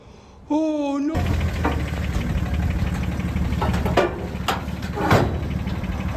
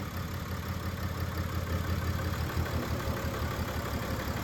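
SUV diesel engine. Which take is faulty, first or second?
first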